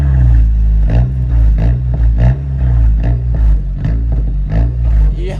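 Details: Straight-piped 2008 Audi A4 2.0T cold start: loud raw exhaust at idle with uneven lumpy beat stumbling about every two-thirds of a second; misfire from a bad fuel injector.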